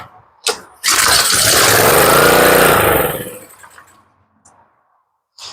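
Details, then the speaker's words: Neighbor's pressure washer with lots of old gas in the carburetor, run on starter fluid and choke; catches on the spray, roars roughly about two seconds then dies, getting no gas except what was sprayed; fuel starvation no-start. "no you can see it's not getting any gas at all except for what we just sprayed"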